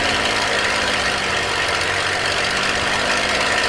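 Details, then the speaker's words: Aircraft formation-flight run-up on the brakes at 2300 RPM with the stick held back, before a prop check: strong, even high-pitched roar held steady with no misses, surging or roughness; normal healthy run-up. "I'm gonna stand up really hard on the brakes and I'm going to go up for 2300 RPM for a run-up"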